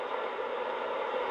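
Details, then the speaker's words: Radio picking up steady crackling RF static from a nearby Chromebook laptop that has been switched back on; closing the laptop removes the interference, demonstrating radio frequency interference. "den støj det er fordi min chrome er tilbage tændt է forårsager RF-støj"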